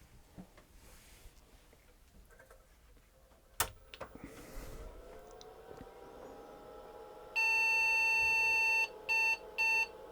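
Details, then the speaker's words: IBM PC 5150 from late 1984 being restored, motherboard powered with speaker but no graphics card: one long beep about 1.5 seconds then two short, POST passed, no display adapter found. "oh one long and two short that sounds pretty good to me it's like music it simply means it's passed its post routines and was checking for a graphics adapter"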